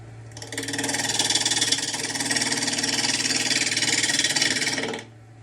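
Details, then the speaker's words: An elm bowl blank on a lathe at about 900 to 1,200 RPM gives fast, harsh chatter over the lathe hum. The gouge is bouncing because the blank is not yet round. "can hear it chatter because it's not round nearly there"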